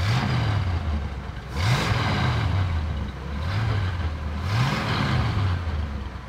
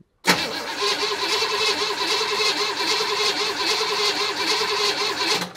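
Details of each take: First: 1965 Chevrolet Impala, first run after 20 years sitting, timing set to about 30–32 degrees total with vacuum advance reconnected: steady low burble with gentle speed rises and falls, firing evenly without misses or knocks; getting a little warm, healthy idle. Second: 1965 Chevy Impala V8, start attempt after 20 years sitting, vacuum advance temporarily connected after distributor reinstall: starter cranks steadily about five seconds with even pulses but never catches; crank-no-start, needing brake cleaner to fire.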